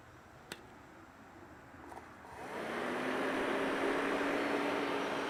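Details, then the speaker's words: Cheap Chinese replacement power steering pump fan for a 2004 Mini Cooper, bench-run after silence: it spins up to a steady, even whir with one clean tone and no rattle, quieter than expected. "nevermind that's actually not too bad"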